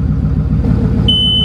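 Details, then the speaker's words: 2019 Mustang GT with new twin-turbo setup, first startup on a freshly flashed tune before charge piping is fitted: low, even rumbling idle with steady pulse and a warning chime near the end; pressures good, engine sounds healthy. "well pressures good looks fine don't worry about it she sounds like she's purring yeah"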